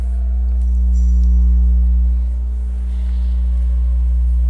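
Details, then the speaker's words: Cerwin Vega sound system: steady low droning hum from the subwoofers that swells and eases without program material, changing as a cable is lowered to the floor or lifted; ground loop hum from no physical earth on the bass amplification. "Bueno amigos pues aquí como ustedes pueden notar hay un zumbido que es muy notorio en los en los bajos"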